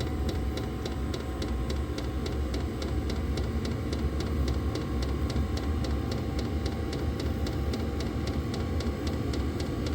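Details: Diesel heater on a lithium battery after restarting from an out-of-fuel stop, glow plug now off, set to high: steady fan roar with even fuel-pump tick about three per second, no sputtering; normal clean running.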